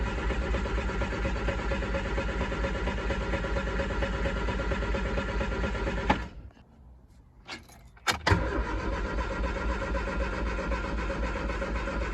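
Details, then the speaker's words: Triumph Spitfire after a distributor part was replaced, cranked in neutral with full choke after sitting a few days: steady starter churn at about two beats a second, pause, more cranking, no firing. Plugs carbon-fouled. "Well, it's spinning over okay, but it's not trying to fire."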